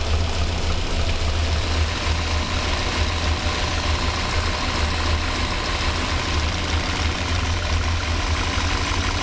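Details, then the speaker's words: 1985 Monte Carlo SS with a cammed 6.0 LS2 swap, sitting 5 years, fuel system rebuilt, fuel pressure fine, injectors getting signal. Lumpy, uneven V8 idle with an irregular low thump; still misfiring from stuck injectors. "It's running better, but there are still a few misfires."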